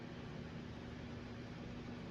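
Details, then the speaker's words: 1980 Emerson Heat Fan/Blender ceiling fan, K63 motor, three fiberglass blades, stepped flywheel, on low trim of solid-state variable speed wall control: barely audible soft steady hum, no ticking, rubbing or wobble, well balanced; normal low-speed running. "This fan is exceptionally silent on the variable speed control. You can barely hear it running."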